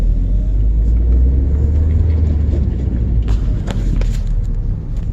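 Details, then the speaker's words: 2001 Audi TT at about 104,000 miles, after a Haldex oil and filter change, during a tight low-speed right turn: only smooth, even low road rumble, and the earlier grinding and binding are gone. "just turning turning a [ __ ] car like it's supposed to sound all right going forward our first year turning right nothing okay I'm a happy guy"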